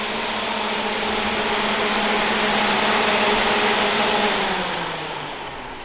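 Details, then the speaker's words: 2011-2017 Honda Odyssey (2012) radiator cooling fan removed from vehicle, commanded on by scan tool while spinning freely: smooth steady motor whir with airy rush winding down evenly; normal fan motor operation, working. "And there it goes. Look at that, it's working."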